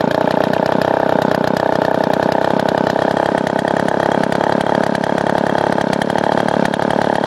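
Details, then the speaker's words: Gas leaf blower, owned 5 years with no maintenance, choke lever broken off and choked by finger, in cold weather: high, steady two-stroke buzz at constant speed with no stumbling or dropouts; normal running. "After 7 years of like no maintenance, I mean, not 7 years, 5 years I've had this thing. Still runs like top."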